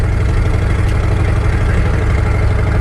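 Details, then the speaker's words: Once-abandoned Chevy C10 square body cruising on a dirt road after a 40-mile run, oil pressure good, 14.5 V alternator, temperature holding: loud steady deep exhaust drone fills the cab, a big exhaust leak, too loud, needs fixing. "This is too loud, so we gotta get this fixed."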